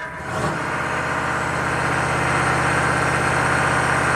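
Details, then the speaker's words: Chevy 6.5 turbo diesel truck with suspected PCM over-fueling via the fuel control solenoid: after a touch of throttle in park the revs stay raised and don't come down until shifted into gear and back to park; rpm hang. "see the RPMs don't come down until you put in gear and put it back in park"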